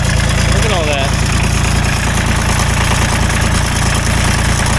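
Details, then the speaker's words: Ford 1520 subcompact diesel tractor cranks for a long time with steady, even compression pulses and won't catch; it runs okay once started. Hard starting from tight valve clearances, and the owner suspects air in the injector lines. "It does have issues, and the issue is it takes way too long to try to start. When it does run, it sounds okay. It doesn't sound half bad, but man, it takes forever to try to start this thing."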